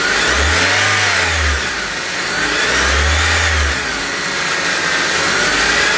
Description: Got this whine sound after I installed pulleys on my 2008 Honda Civic.